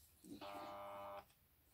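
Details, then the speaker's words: Vintage Braun coffee grinder, plugged in on the bench, gives only a short steady electrical hum and the blade never spins. Motor bearing seized after grinding chalk; unclear whether chalk got into the bearings or heat melted something. "and all we're getting is a hum so it's seized up there's something well and truly seized up whether it got hot and melted something or whether it's just got chalked down into the bearings i don't know"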